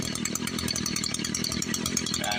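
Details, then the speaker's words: Echo SRM-210 two-stroke string trimmer after primer bulb replacement: high buzzy note running steadily with no sputter or dropout; normal running. "we got a running weed eater."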